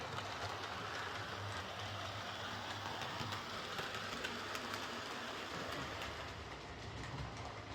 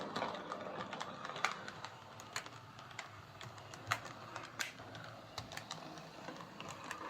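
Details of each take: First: Bachmann Webb Coal Tank 0-6-2 model locomotive pulling coaches after repair of dislodged rear axles, bent pickups and a filed deformed wheel flange: light even wheel clicking at a steady pace, no knocks or clunks. Runs smoothly. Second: Bachmann Webb Coal Tank 0-6-2 model locomotive after rear axle repair, running on layout: faint motor whirr with irregular sharp clicks and clunks going round bends, quiet on the straight. Damaged wheel flange catching on curves.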